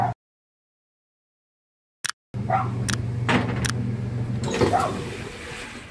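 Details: Whirlpool top-load washer after both broken couplers were replaced: steady low motor hum while agitating smoothly, with only a few light knocks.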